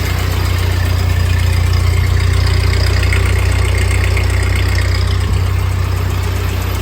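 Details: 1948 Ford 8N tractor idling in neutral on first start after a full engine rebuild, with a new, not-yet-adjusted carburetor and a leak still to fix; steady, low, even chugging with no knocks or misses, a healthy normal idle.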